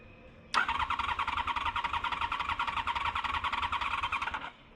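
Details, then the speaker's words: Honda VFR crank attempt after the starter was cleaned and greased; owners suspect it flooded. Steady fast starter whirring about four seconds, never fires: cranks but does not start. "I we probably flooded it yeah we just like trying to start it yeah that's weird that it's not firing allil though"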